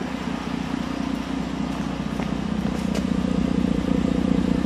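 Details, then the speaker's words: Ford Edge 3.7 Duratec swap on an SCT-tuned PCM programmed for the 3.5, first start with no codes, heard at the rear exhaust: steady, even idle burble with no misses, skips or pops; cats working. "listen to that exhaust no misses [Music] no misses folks [Music] no misses on the exhaust the cats are working because it fogged the camera up that is smooth folks that is smooth"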